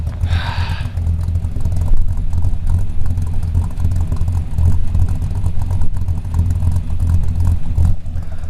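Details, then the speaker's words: Small-block Chevy V8 with a mild RV cam in the Route 66 Buick: a deep, steady, even idle rumble after the exhaust leak was fixed; no ticking remains. "hard to beat the thumpity Thump Thump of a small block Chevy with a mild RV cam in it but hey exhaust leak is fix for real this time how about that"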